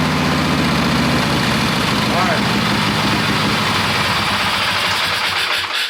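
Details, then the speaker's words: Wheel Horse mud mower with a newly fitted Kohler Magnum 18 hp opposed-twin engine, still needing tuning: loud steady twin-cylinder beat at an even idle before shutoff, no knocks or misfires; runs fine. "he's already gone out and driven it around some and it idles up and down and the throttle works pretty good"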